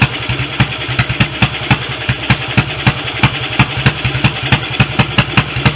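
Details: BSA B31 single on its first run after restoration, magneto ignition, temporary 30-grade oil, carb jet judged too large and no intake gauze: single thumps three to four per second, uneven in spacing and loudness; carburation and ignition still need sorting.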